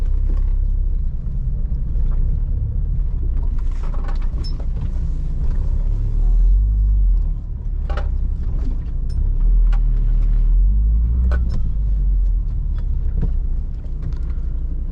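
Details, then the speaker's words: Driving a Volvo V70 P2 after subframe bush replacement and four-wheel alignment, a low road rumble is broken by sharp cracks every few seconds as the front end loads. It is worse than before; the owner suspects the anti-roll bar bushes, and the cause is unconfirmed. "it's sort of lower down we can hear just cracks all the time Bang"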